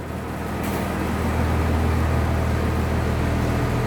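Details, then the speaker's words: 1996 Blue Bird bus diesel just started cold after glow plugs, seats removed: deep rumble with steady pulsing of about 200 per minute and shaking; normal cold diesel idle, expected to smooth once warm. "you can hear more vibration now because everything's out of it when it warms up it won't shake as much but when it's cold it's really gonna shake just the way diesels are"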